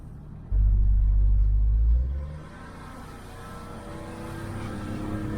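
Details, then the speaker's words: 2004 Chevrolet Trailblazer on a normal-road test drive: brief low engine surge, then even road rumble with no hum, growl or grinding from the wheel; the front hub is quiet, and the clunk appears only over bumps. "but driving normal on the road like this it doesn't make any noise"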